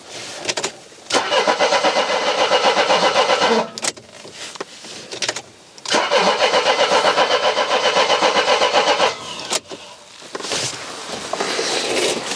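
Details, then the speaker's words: Mercedes W123 that sat long in the garage, battery just reconnected, petrol smell: two long bursts of steady starter cranking at about four beats a second with no catch. It cranks but won't start; cause not yet diagnosed. "right so now instead of trying to do fixing welding or brakes I'm going to go back into your game of diagnosing why the car's not starting"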